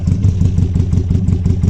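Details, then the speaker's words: Mk1 Ford Escort with rebuilt bottom end and unbalanced carburettors, first run before thermostat opens: lumpy four-cylinder idle with uneven pulse and odd sharp pop; intermittent misfire, arcing spark plug lead and vacuum leak suspected. "she's popping every now and then. I think that could be to do with a spark plug as well, because I have got a spark plug lead that's arcing."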